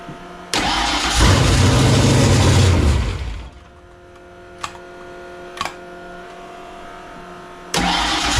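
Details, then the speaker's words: Fox-body Mustang convertible with a supercharger and a freshly reassembled carburetor, started with a squirt of fuel. It catches, revs about two seconds, then dies and needs restarting. Owner doubts timing and suspects a carburetor or vacuum leak problem; not confirmed. "I don't know how many carburetor experts out there give me a message on that would you it's like a fires but it just doesn't wanna stay running"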